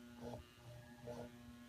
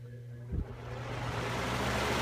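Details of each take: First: Household fan taken apart: with power on, the motor gives a steady electrical hum but the shaft won't turn because it is very stiff, even by hand. On high it spins but still catches. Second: Household fan whose motor had been hard to turn, only humming without spinning, now running on high after a few drops of lubricant. It spins up with a smooth rising whoosh into an even rush of air, with no squeak or rubbing; repaired and running normally.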